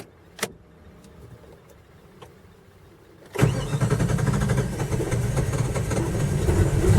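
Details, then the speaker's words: Hard cold start on a V8 that cranks and runs fine when warm: faint clicks, then a heavy, low starter churn for several seconds without catching. The owner suspects the temp sensor, a throttle-body sensor or the ECM/PCM; the cause is unconfirmed. "well it has tried to start but it hadn't started and we'll see if it'll start now I don't hear anything again as far as something that it usually starts up once he gets to that level"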